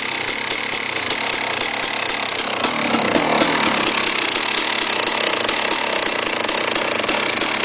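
Crackly, rattling two-stroke idle with a harsh metallic clatter over a ragged beat; something's off internally, cause unclear.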